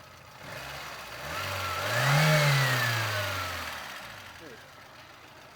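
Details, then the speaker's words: 2000 Lada Vega 1.5, car lowered from the lift and started after brake work, spark plugs checked and fine, left running until the fan cuts in: one smooth blip, revs rising and falling cleanly with no misfire or knock. No problem. "Evet aracımızı indirdik çalıştırdık şu an Herhangi bir problem yok"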